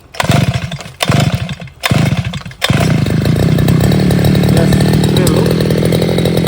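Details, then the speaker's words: Hi-Max two-stroke brush cutter on 1:40 petrol-oil mix, restarted after two months unused with choke up, switch on and primer bulb pressed: three rough pull bursts die out, then a steady high buzz. Needed 2–4 pulls; sometimes starts on one. "അതുകൊണ്ടാണ് ഒരു 2-3-4 വലി അത്യാവശ്യമായിട്ട് വന്നത്. അല്ലെങ്കിൽ ചില സമയത്ത് ഇത് ഒറ്റ വലിക്ക് തന്നെ സ്റ്റാർട്ട് ആവാറുണ്ട്."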